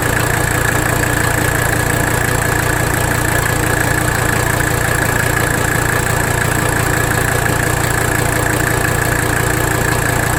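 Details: 1985 Mercedes 300D diesel at idle, engine loaded while bottoming the nut and adjusting idle during rack damper bolt adjustment; steady but lumpy, uneven pulse about two beats a second — rough idle not fixed by it, no vacuum leak found, cause unknown.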